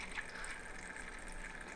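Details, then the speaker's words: Thermalright 360 AIO on a test bench, pump back at 80%, CPU at idle: a soft watery gurgle and trickle returns over a quiet pump hum, from air trapped in the pump housing that repeated airing-out attempts haven't cleared. "see this see bubbly the bubbly sound is coming"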